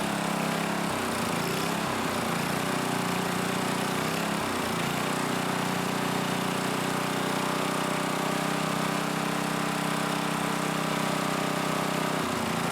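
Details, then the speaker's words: Coleman generator with Briggs engine after a tune-up, carb cleaning, new carb diaphragm and pickup tube, started on choke before carb screw adjustment: steady, even drone at constant speed with no surging or misses; running smoothly. "see what we can get it to do sounds good so far but I'm going to start adjusting that screw"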